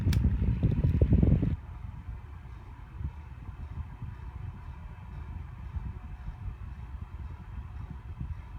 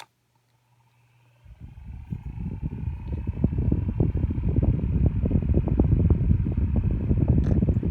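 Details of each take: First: Lasko 6-inch white personal table fan on high: a soft low throb pulsing about three times a second over the airflow hiss, always present; owner suspects unbalanced blades. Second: Old Lasko 6-inch personal table fan on low: soft, steady whir, not too loud, with no rattle or scrape; runs normally and pushes a nice breeze.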